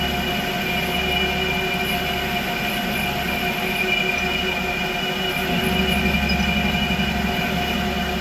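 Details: Creworks 8x16 lathe after carriage play adjustment, cutting under hand feed: smooth, even motor hum with steady gear whine and no chatter or knocking, slight tool flex from long stick-out; running normally.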